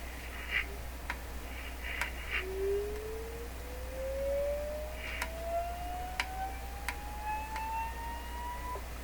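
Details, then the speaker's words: DeForest 10DA517 AM radio speaker, cone soaked for a suspected voice coil rub. An oscillator sweep rises to about 1 kHz with buzzy overtones, and the cone buzzes at three resonance points. "it sounds like there was another one a higher one one right there too three there's three points at which this thing buzzes right there"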